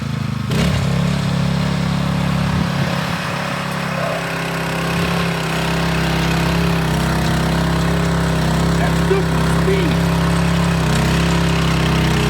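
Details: Scotts tiller with the trashed original engine replaced by a DeWalt pressure washer engine, run after the swap: fast, steady single-cylinder drone, even firing, no knocks or misses. Runs healthy and fast; ready to go.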